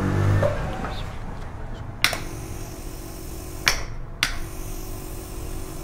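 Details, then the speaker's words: Compressor after the start relay's winding was reduced by 15 turns, with a capacitor fitted: low hum broken by sharp clicks every second or so as the overload trips; relay still not matched, compressor fails to start. "ये अभी भी ये compressor के साथ relay match नहीं हुई,"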